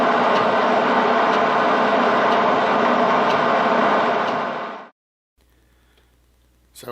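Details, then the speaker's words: Lathe machining a part for an 8 HP Mogul engine: about a 0.015-inch cut with the tool stuck far out, through dissimilar metals. Steady cutting hiss with a light, even tick about four times a second. Normal interrupted cut. "So it was kind of an interrupted cut even when it was cutting continuous because of the dissimilar metals. So just a really hard part to do."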